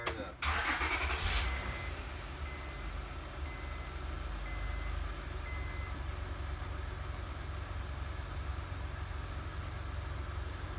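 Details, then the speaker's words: 2005–2010 Honda Odyssey with about 190,000 miles, after fuel pump module replacement for slow starting from a failed fuel pressure regulator; short crank, quick catch, quiet steady idle, good throttle response, no leaks; normal start and idle. "good throttle response and I don't see any leagues that's a good thing"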